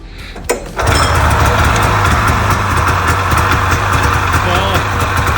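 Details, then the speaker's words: Polaris Indy Trail snowmobile, pull-started after carbs cleaned for bad fuel; uneven two-stroke run surging and won't settle to idle; owner suspects one carburetor, throttle linkage felt wrong; engine will not idle. "I actually think that one carburetor might have been the issue, because last year this wasn't idling. So, oh, it doesn't look like it's gonna idle again."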